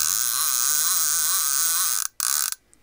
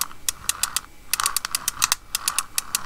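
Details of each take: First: Shimano TLD 15 lever-drag fishing reel, possibly from the 1990s, after a full rebuild with all bearings replaced and a carbon drag washer fitted. The ungreased clicker gives a fast, even, loud but smooth buzzing rattle as the spool turns: normal clicker operation. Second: Shimano TLD 15 lever-drag reel, turned by hand before its rebuild: rapid sharp clicks over a gritty grinding rasp, stiff and not smooth; suspected worn bearings.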